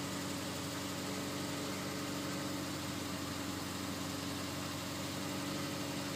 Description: Starting at around 110,000 miles my 2004 Forester XS started getting louder at cold start and gradually got worse. This was caused by the #3 spark plug having trouble due to oil entering the spark plug well.